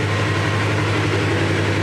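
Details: 2017 Polaris RZR XP 4 1000 with a new Alba Racing ECU, faults cleared after a key off/on cycle: steady, even low rumble at normal idle with no misses or surging. The later high-speed test drive found everything working, with the new computer as the fix.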